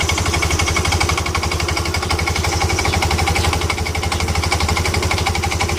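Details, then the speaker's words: Yamaha Ego LC scooter idling with a loose metallic rattle pulsing about four times a second, coming from worn CVT parts. "jadi begitu hilang bermakna bunyi itu datang dari CVT"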